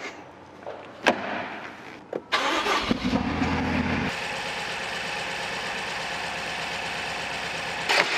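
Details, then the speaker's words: 2018 BMW X6M V8 towed in with rough idle and low compression after spark plugs and coils were replaced elsewhere; it cranks and settles into an uneven idle, with misfires logged on cylinders 5, 6 and 7 and injection cut-off: burnt exhaust valve. "다수의 실린더 분사 차단됨 스타터이 배그 가스 악영향 실화 감지 그리고 5번 6번 7번이 실화 가 감지된다고 떠요음 한번"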